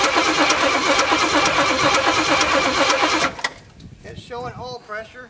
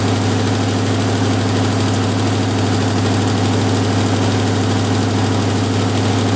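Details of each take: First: Jeep M715 army truck, fuel injection removed and carburetor fitted, not started in six or seven years, cold start: starter cranks steadily about three beats a second for three seconds and never fires; cranking, no start. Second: Jeep M715 army truck, fuel injection removed and converted to carburetor, old cold start; deep, even idle holding a steady low beat, no miss or surge, running smoothly on its carburetor; normal idle.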